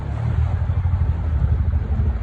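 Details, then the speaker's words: Outboard on a previously sunk flats boat, first run out on the water, cold: low, choppy burble that surges and stumbles, smells of bad gas, clears after a few seconds; owner suspects bad fuel; engine sputtering. "Whoa. She's definitely sputtering a little bit. Oh yeah. Yeah, sputtering."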